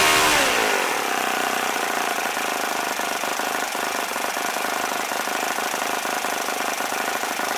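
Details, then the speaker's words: OS FS-40 Surpass four-stroke glow engine rebuilt with new bearings, Enya No. 3 plug, 11x6 prop: brief rough start (owner unsure if leaned too much), then steady high buzz at full revs, even and healthy. Normal running. "I was pretty happy with it it sounded good once it got warmed up and it had the decent idle to so it's a pretty nice little engine"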